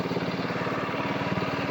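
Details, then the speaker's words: Side-by-side running after a new brake sensor was installed and the electrical rehooked, about the fifth start. Quick, even putter at a steady idle, no misses or knocks. Throttle responsive; idle may need slight adjustment. Normal idle. "This is about the 5th time I've fired it up. Throttle's very responsive, engine sounds good. Might need to adjust that idle just a little bit more."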